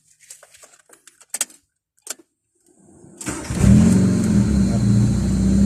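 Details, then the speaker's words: Car after fitting a relay to the starter motor, air filter not yet fitted: keys rattle, then the engine fires at once on the first crank and settles into a smooth, steady idle; healthy start. "เดียวติดเลยนะครับเครื่องเดินเรียบนิ่งดีนะครับ"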